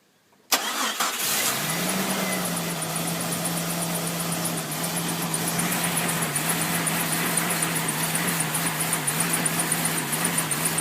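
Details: 1999 Jeep Cherokee XJ cold startup: rough idle, engine missing and rpm fluctuating/hunting, TPS reading jumping 0 to 17 at idle, with a fast chirping squeaky fan belt over it; engine misfire with hunting idle.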